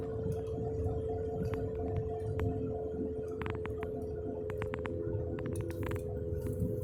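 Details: Car cruising slowly with a steady droning hum under the road noise, seeming to come from underneath. Cause was a worn left-front wheel bearing, not the tires, which showed no irregular wear. Replacing the hub assembly removed the noise.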